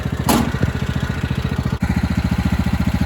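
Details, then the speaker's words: 1997 Craftsman lawn tractor with 16 hp Kohler Command single-cylinder: fuel valve barely opened after shutting it off until it ran smooth; even, steady thumping idle at about ten beats a second after one brief knock, no stumble or hunting; normal idle. "I barely opened it up so it can let a little bit of fuel through but not too much and it seems to be running fine right now like that"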